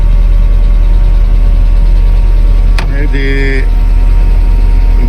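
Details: 1995 Mercedes E220 2.2 W124 Cabrio, once a no-start with immobiliser and central locking faults and a key to synchronise. It runs a steady, even low idle with no misses or knocks, a brief chime in the middle, and sounds smooth.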